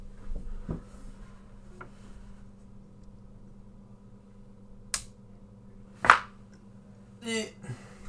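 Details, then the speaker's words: KRK Rokit 5 Gen 2 powered monitor after capacitor and relay repair, switching on: low steady hum with a few sharp clicks and one louder pop; residual turn-on pop, cause unclear, quieter than before repair. "that one has a bit of a pop but i can't turn that off i don't know why and there's a little bit of noise from the right one"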